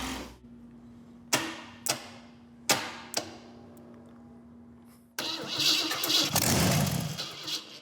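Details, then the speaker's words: Custom hot rod build, first start with different coil: a few sharp cranking bangs, then engine catches and settles into a lively, even run with no knocking or misfire; healthy start. "Aha! Hit the starter, and hey now, it works."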